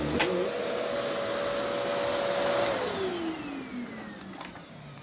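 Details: Bissell CleanView-type vacuum with cyclonic separation, original belt: steady motor whine suddenly sags and drops in pitch when the head meets the rug; the worn belt lets the brush roll nearly stall.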